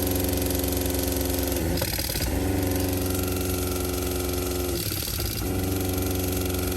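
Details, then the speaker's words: Caravan's original 12V water pump, to be replaced with a SEAFLO quiet pump: harsh buzzing hum with a fast hammering pulse that briefly stutters twice; excessively loud, knocking pump. "It's not the most enjoyable noise. Not the most enjoyable noise, obviously, when everyone else, especially the kids, are asleep in the caravan"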